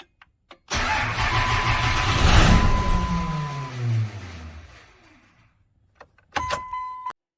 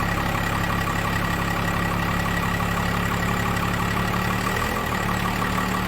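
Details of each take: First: 1998 Dodge Ram 2500, 12-valve Cummins with P-pump, 687,000 km, neglected, cold start at about 0 °C in the shop: long cranking, then the diesel fires with heavy clatter, revs briefly and dies down. Hard to start. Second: 1998 Dodge Ram 2500 12-valve P-pump Cummins diesel, 687,000 km, after valve lash adjustment (intake/exhaust ten/twenty thou): steady, even idle with low deep rumble, no loud top-end ticking; running way better already.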